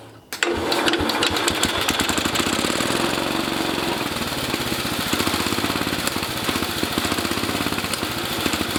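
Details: International Cub Cadet 109 garden tractor, Walbro carburetor just rebuilt with new kit: catches right away and settles into fast, steady putter with even firing pulses, no misses; running normally.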